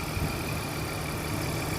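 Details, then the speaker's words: Car at idle after oil and filter change with correct oil weight: smooth even idle with steady low hum, no ticking; previous diesel-like chattering gone, engine sounds healthy. "it was chattering like a diesel and now just listen to it super smooth super"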